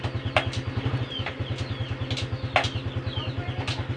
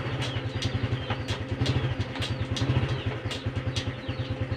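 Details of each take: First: Honda Supra X 125 FI, idling: even thump with sharp metallic clunks on gear shifts, irregular; clutch release ball returning early. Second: Honda Supra X 125 FI after an adjustment (a small free gap kept), engine running with the rear wheel turning. Even single-cylinder putter, smooth shifts and no more "ceklok" clunk. Normal gear shift.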